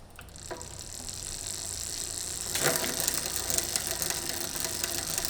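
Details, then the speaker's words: Bicycle rear derailleur shifting to the largest cog: irregular ticking and chattering from the chain, about two clicks a second while pedalling, because the L (low) limit screw is too tight; fixed by loosening it in quarter turns. "که پیچ خیلی محکم L باعث ایجاد علائم می شود ، ما آن را بصورت تدریجی شل می کنیم تا به درستی تنظیم شود."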